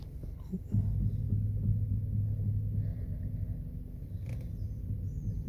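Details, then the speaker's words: 2012 Skoda Octavia A5 FL at 126,000 km: dull low thuds in a loose uneven series roughly every 10 cm of steering-wheel turn; both strut top mount bearings have failed, fixed by replacing them plus alignment. "Вышли из строя опорные подшипники. Звучит так."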